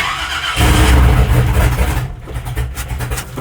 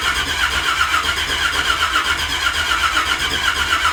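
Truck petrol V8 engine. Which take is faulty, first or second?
second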